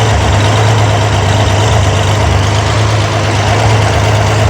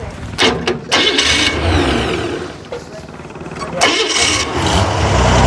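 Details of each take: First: Corvair engine on a run stand at idle after valve adjustment, hydraulic lifters set 3/4 turn past zero lash: steady, even, smooth hum with no ticking or valvetrain clatter; healthy normal idle. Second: Corvair engine on a run stand during valve adjustment: even idle with quick light ticking clatter from excess lash, about three per second, heard right after the adjuster is backed off past zero lash, before tightening it until the clatter fades.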